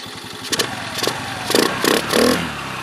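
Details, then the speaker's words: 2022 Honda Navi 110 with MNNTHBX aftermarket intake and crankcase filter, stock carburetor jets, about 45°F: quick throttle blips with a throaty intake roar rising and falling cleanly; revs freely, running normally. "of course you can tell uh the induction noise itself i think it sounds pretty good give it some revs"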